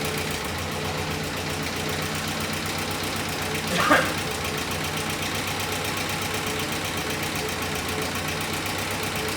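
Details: 1962 Jeep M170 ambulance, new engine warming up at idle with a faint regular light tapping over the exhaust note: suspected rod knock on the new engine, not confirmed.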